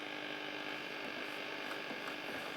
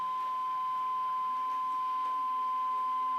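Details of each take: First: 1954 Regentone Auto 99 radiogram on medium wave with the aerial fitted: steady low buzz under the reception, probably interference from nearby LED lights. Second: 1954 Regentone Auto 99 radiogram, aligning the coils underneath the chassis: steady, pure test whistle with faint hiss, already peaked and aligned spot on.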